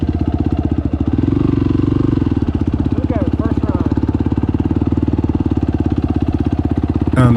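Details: 2021 YFZ 450R with a new HMF slip-on exhaust and fuel optimizer. Even, rapid single-cylinder thumping swells gently with throttle, with no surging or stumbling; off-idle fuelling is clean and improved over before.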